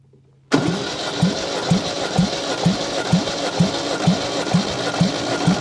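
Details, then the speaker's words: Long-dormant 1971 MGB parts-car engine, compression 130-145 psi, valves given a few pops: slow even cranking about two strokes a second with steady thump, no firing; oil pressure about 22 psi while cranking, cranking no-start. "Not terrible while cranking, not as good as we'd like to see, but at least it's got some"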